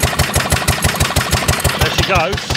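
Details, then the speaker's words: 1930s Dennis Z-type 30-inch lawn mower after sitting in a barn for years, first run after points and carburetor cleaning. Choke just turned off, warming up with sharp, evenly spaced single-cylinder firing beats settling into a steady run. "total choke off and now girl warm up wow what a noise that's a serious noise"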